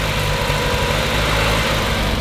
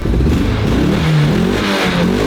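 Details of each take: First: 30-year-old petrol car started cold after about a year sitting: slightly uneven idle with occasional stumble, a mild misfire, revs kept up to avoid stalling; cause unconfirmed. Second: 30-year-old car started after about a year unused, warmed up for about half an hour: engine revs cleanly up and down with smooth pitch changes and no stumble. Earlier misfire seemed limited to startup; runs healthy when warm.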